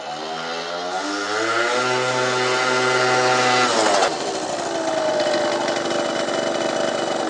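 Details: Peugeot Speedfight 50cc two-stroke moped after starter relay, exhaust, carb and variator roller fixes, ridden at about 50 mph and pulling hills well: high buzzy note climbs smoothly with throttle, eases off and settles, revving cleanly without misfire; normal running.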